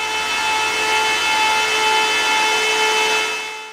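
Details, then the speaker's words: Bitmain Antminer S21 XP air-cooled Bitcoin miner after about 24 hours mining: loud steady fan roar with a clear high whine on top, holding even pitch until it winds down; normal fan noise. "yeah this thing oh my ears my ears are ringing it's it's very [Applause] [Music] loud it's very loud"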